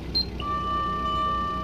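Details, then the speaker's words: 1994 Toyota Dyna 4x4 diesel fire truck, ex-Japanese service, 6,780 km, 24 V system, engine idling: siren on bell mode gives a sharp steady electronic bell tone over low idle; working properly. "this will switch on the top light and then you can operate your siren this is a bell sound"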